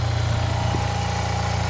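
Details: Free Yamaha TMAX 500 scooter started for a first look: smooth, even idle with a steady low pulse, no ticks or misses.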